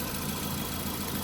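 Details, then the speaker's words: 2004–2008 VW Golf 1.6 FSI petrol, over 100,000 miles, just serviced with new oil, oil filter, spark plugs, air and cabin filters (fuel filter not yet changed); steady, even idle hum with no knocks or rattles, running fine. "But, um, sounds good to me. Let me know what you think."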